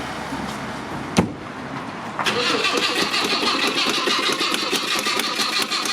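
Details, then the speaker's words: Mk1 Ford Cortina with original 1200 engine, first start attempt: click then continuous starter whirr, starter stays engaged and keeps cranking on its own; starter motor still getting a live feed, cause not yet found, battery lead pulled. "It's now trying to start on its own. So, yeah, I'm going to have to pull the battery lead off. I'm not sure why the starter motor's still getting a live feed, but it is."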